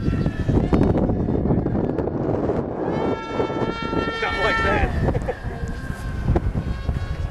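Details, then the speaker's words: SkyFighter v3 foam RC plane on its maiden flight, with a Turnigy 3648 1450kv brushless motor and 90/100A ESC drawing around 2462 W: a high thin whistle rising then falling on the pass; an odd whistle, source undetermined. "whoa whoa that say that sounds funky whistling too man I was going to say you got a little more high pitch whistle"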